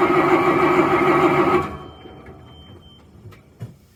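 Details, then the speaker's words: Diesel truck in freezing weather, fuel filter found half full of ice from water in tank: even cranking about three turns a second for 1.5 seconds, little white smoke, never catches; no fuel delivery. "all right do you see the difference so that tells me this truck was not getting any fuel"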